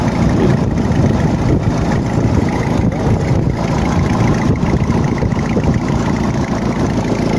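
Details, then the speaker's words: Gasoline engine just started after full rebuild, held at low idle while oil circulates; steady slightly rough idle with faint irregular puffing tick, an exhaust leak near the manifold, part that was due to be replaced or resurfaced. "Tenemos una fuga de escape por acá. Vamos a observar que hay alguna fuga de escape, ya que esto se tenía que mandar a cambiar o a rectificar, pero igual."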